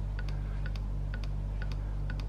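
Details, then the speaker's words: KTM/Husqvarna TPI two-stroke, oil pump priming with Ipone oil (Motorex recommended), ignition on, engine not running: slow, even ticks roughly every half second over a steady low hum; oil pump priming normally. "I don't know if you can hear it, but pump Slowly And it's Ipone oil"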